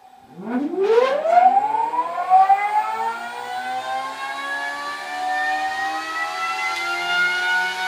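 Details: High-power PMAC electric motor on an EV power bench, started by key-on precharge: a rising electric whine sweeps up smoothly and settles into a steady high tone with faint hum; motor spins up normally with no fault information.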